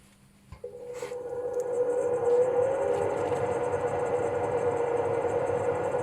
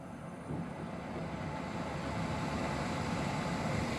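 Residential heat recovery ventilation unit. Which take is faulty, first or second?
second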